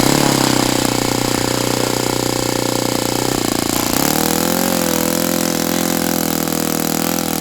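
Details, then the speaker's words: Saito FA-82a engine on test stand, after spring replacement, outdoors about 63–65°F: steady high full-throttle buzz dips near four seconds then holds lower, not reaching peak RPM; owner unsure if prop is 14x6 or 14x8. "I don't understand why it's still not running at peak RPM or unless I could have swore I'm reading this prop is a 146 and not a 148, but still."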